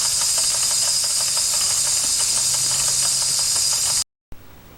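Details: 1992 Wilesco D400 live steam toy tractor, no. 447 of 600, running after a fix: a loud steady hiss with quick even puffs about three a second, then it cuts off; the engine runs properly.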